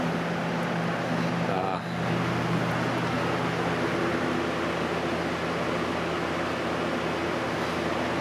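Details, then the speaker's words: 1989 Lasko Galaxy model 3723 20-inch three-speed box fan, bearings were dry and stiff, now oiled: steady even hum with low motor drone, no ticking or scraping, running smoother; normal running. "as you can hear it's nice and quiet all right it's real smooth now that it was oiled it rains smoother"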